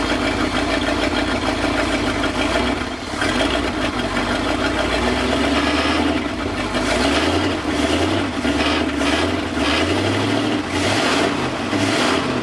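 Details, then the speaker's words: 1966 Ford F250, 352 FE V8, parked since 1992, after carburettor rebuild: catches and settles into a steady, even idle with a few throttle blips; runs cleanly. "silently just like that day two of really trying to get this thing going i pretty much just idled right out of the gate"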